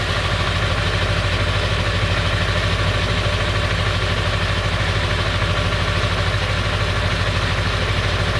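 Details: Late 1999 Ford F350, 7.3L Powerstroke diesel at idle: fast, even rattling clatter, about three beats a second, over the idle; noise more pronounced under the truck; source unknown, owner wonders flexplate or engine.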